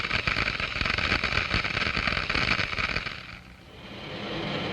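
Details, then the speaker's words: Water in a glass venturi with the flow rate increased until it boils at the low-pressure throat: a dense crackling hiss with rapid snapping that then eases off, as cavitation bubbles collapse on entering the higher-pressure diffuser. "small bubbles are formed these are cavities filled with cold steam and other gases diffuse from the liquid the noise is generated by the collapse of these problems as they move into the higher pressure in the diffuser"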